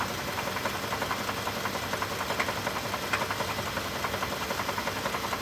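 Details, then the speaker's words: 2024 Toyota Tundra Limited with 17,200 miles that would not start and then ran rough; the engine is described as blown. Rough idle with a steady knock about twice per second; rough running with engine knock. "It is not starting started running rough."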